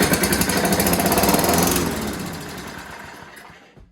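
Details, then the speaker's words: Toro Recycler 6.5 hp push mower, started with fuel dribbled into the carb throat: even, rapid firing about three to four beats a second with no knocks, then a smooth wind-down. Normal running; the exhaust valve had been the problem. "oh look at that guarantee is a guarantee well that's great we know it runs and uh didn't hear any knocks or any weird noises"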